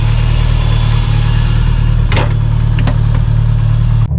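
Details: Subaru STI with cams and ABCs, updated tune, brand-new quiet Q300: deep steady idle with a gentle rhythmic lope, no ticks or misfires; normal idle with cam lope.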